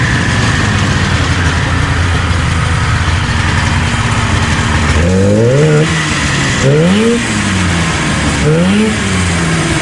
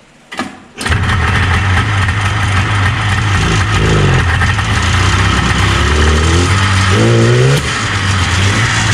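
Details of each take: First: 1977 Arctic Cat El Tigre 4000 440cc two-stroke snowmobile, Mikuni round-slide carbs, after needle clip adjustment; crisp blips rising and falling cleanly three times with no hesitation or bog off idle; bog cured. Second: 1977 Arctic Cat El Tigre 4000 440cc free-air two-stroke snowmobile, Mikuni round-slide carbs, needle clip moved one position leaner: fires up then blips unevenly with crackling pops and a hesitant low-end bog on throttle opening.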